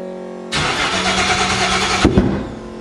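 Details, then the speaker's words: Used 5.3 LS V8 in a 1955 Chevy Napco 4x4 clone, on its first start after a rebuilt fuel system; hard cranking, owner suspects poor fuel priming. Catches after a brief crank into a harsh, very loud raspy unmuffled idle on open headers. "oh lee you have no idea how loud that is people who like open headers man Diana that's loud"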